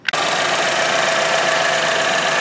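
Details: 2013 Chevy Equinox 2.4L four-cylinder idling right after a PCV upgrade (PCV valve added atop modified cap, line to intake manifold) against clogged-PCV rear main seal failure: steady, even mid-pitched hum, no knocks or misses; normal idle.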